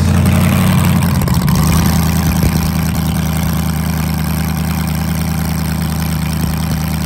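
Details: LS-swapped Crown Victoria V8 with a nitrous kit, restarted after a disconnected plug was reconnected: deep, steady, even idle with no misses; it runs normally, though some intake valve leakage was noted.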